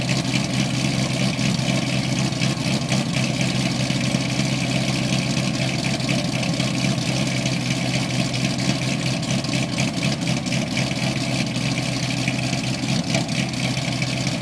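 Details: 2008 LS3 Corvette coupe, cammed, LG street series headers, high-flow cats, NPP dual-mode exhaust, exhaust leak fixed: loud, lumpy cold idle with a big-cam choppy beat, steady and even with no ticking or puffing. Normal cold idle.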